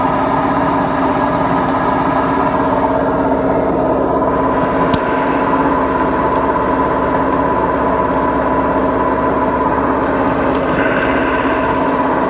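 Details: Beko washing machine, 7 years 8 months old, drum spinning; loud steady droning roar with fast pulsing rumble from worn drum bearings; machine to be replaced.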